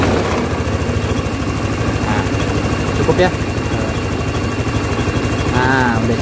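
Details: Honda Scoopy FI scooter whose idle kept rising, after packing aluminium foil at the ISC sensor and adjusting idle: small single settles into a steady, even idle pulse with no hunting or surging; idle now holds correctly.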